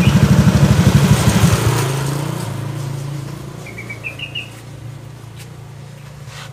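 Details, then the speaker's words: A Honda scooter idles with a loose rhythmic clattering knock from the CVT that disappears when throttled and returns on letting off; the disassembled part shows rust causing friction. "tapi untuk motor Vario itu biasanya itu timbul suara kotokotokotokotokotok seperti itu saat stasunir tapi pas digas itu suaranya hilang halus tapi gas suaranya timbul"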